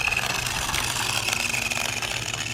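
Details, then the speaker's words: Budget RC buggy (Rui Chuang QY1802A) at full throttle drive-by: high whine with fast raspy ticking like a card hitting bicycle spokes, grindy gears noted; gear mesh noise suspected. "Sounds like there's a card hitting the spokes in there. It does. On a bicycle."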